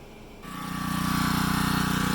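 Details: CAT pressure washer pump after rebuild, oil topped up: engine catches and climbs to a steady, even pulsing run within a second; sounds healthy and settled.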